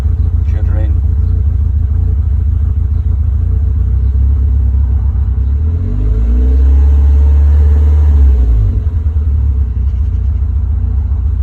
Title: Rough idle hard to start after turning off after temp reached